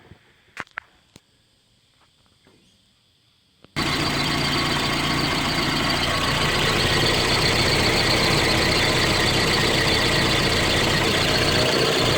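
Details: Car engine running with the MAF sensor's rubber O-ring gasket removed, after MAF cleaning caused rough running: quiet start then a loud, steady rushing hiss over the idle; unmetered air leaking at the MAF seal.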